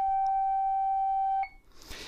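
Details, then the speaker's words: 1965 Record-O-Fone 100U answering machine's Telekey remote, a tone generator giving two tones by button depth: a clean steady tone near 750 Hz for about a second and a half, then cuts off; working normally. "now all this thing does is create tones it creates two different tones if i depress it slightly i get this if i depress it all the way in i get this"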